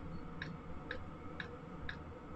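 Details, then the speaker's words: Chinese AliExpress Webasto-style diesel parking heater, outlet air already at 50°C on a thermometer: crisp, even ticks about twice a second over a soft hum; fuel pump metering steadily, heater running normally. "ouais ça marche vraiment du tonner on est déjà à 50°"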